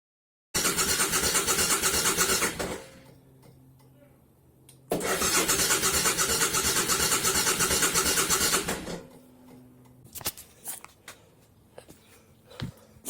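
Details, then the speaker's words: 2000 Suzuki VL1500 Intruder LC, sat 10 years, new battery, Seafoam added, fuel pump pressurized: two long bursts of fast cranking with brief stumbles, won't keep running; gas spitting from the carburetor area, owner believes floats overfilling the bowls. "I got gas spitting out over here. Look, it's coming right down from here, which is where the carbs are, right in the middle there."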